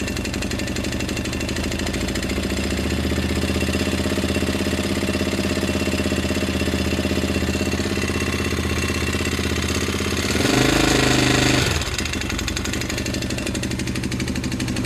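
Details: 2005 Honda 400EX single-cylinder ATV at idle about 10 hours after full rebuild: steady knock on each firing beat; timing chain has some slack; owner suspects main bearings damaged by dirt past the K&N air filter.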